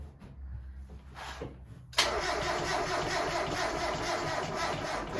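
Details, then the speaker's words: 1992 NA Mazda Miata with a freshly rebuilt engine, cranking: a sluggish, dragging starter churn with no catch; slow cranking, a weak battery is suspected and a jumper pack was fetched. "try it again keep going then would i have enough battery we don't no it sounds kind of weak try it again"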